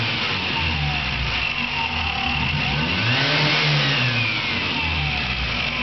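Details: Car engine with a chirp like a bird for two years, louder now: high chirping squeak rising and falling with revs; persists after alternator bearing and timing belt tensioner replacement and with alternator belt removed; source unconfirmed.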